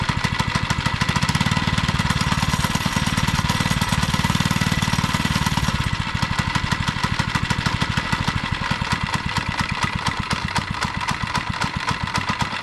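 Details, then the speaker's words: Two-stroke Monster Moto minibike after carburetor cleaning and fresh gas: fast, even single-cylinder putter, slight tone change, no misses or knocks; normal idle, though idle is a little off and throttle cable needs adjusting. "all right the idle is a little off so I got to adjust the idle the throttle cable"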